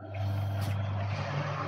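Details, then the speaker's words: Mouv'spa hot tub restarted after maintenance without purging pump: steady low motor hum with rough churning hiss, nothing happens; air-locked pump not priming, needs purging. "Vous voyez, ça fait un bruit bizarre et rien ne se passe. Donc il faut purger la pompe."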